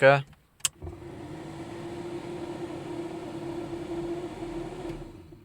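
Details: Car heater blower after repair, previously running loudly: after a click it spins up to a smooth, even whoosh with steady low hum, now quieter and normal.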